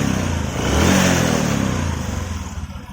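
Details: Honda Supra 125 single, often misdiagnosed as a loose cam chain tensioner: revved and released, a loose clattery rattle as revs fall, intermittent at standstill, sometimes stalling while riding; cause unclear.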